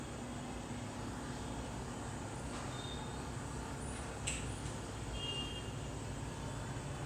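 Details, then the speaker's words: Samsung AR18AY5YATZ air conditioner outdoor unit at night, phone held one step away: quiet steady low hum and airy whoosh, no knocks or rattles; normal running. "So this is all the sound you can hear. I am standing only one step away from the unit."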